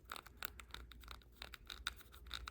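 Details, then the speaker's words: Custom Arrma Kraton 6s/8s EXB build, differential turned by hand: quiet, uneven scratchy grinding in short rasping bursts because the ring and pinion mesh is very sloppy; the diff needs shimming. "sounds and feels nasty no good that's not going in the truck like that"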